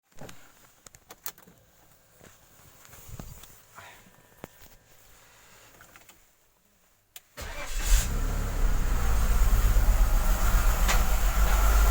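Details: BMW X5 E53 M54 3.0, morning start after sitting overnight: cranks into an uneven, lumpy misfiring idle with periodic knock near cylinders 5-6; fixed by cleaning the throttle body with carb cleaner.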